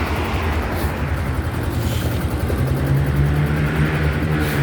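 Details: Yamaha Grand Filano scooter after repair of a cracked valve guide and bent valve, reassembled with fresh engine oil, exhaust sound test with no engine light: even, steady low putter with no knocking, tapping or rattle; running normally.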